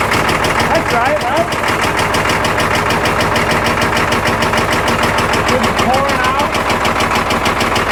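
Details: Old Caterpillar 977L track loader diesel started on lots of ether: loud, uneven, hard-hitting beat of about three firing pulses a second, stumbling irregularly with backfire; running rough, sounds like it's going to come apart.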